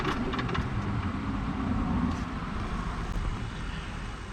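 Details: Champion 3500 W remote-start generator in enclosure in a 1990 Fleetwood Bounder RV, just started with 12 V cooling fans on: steady low hum with constant whir on top, even speed; sounds right.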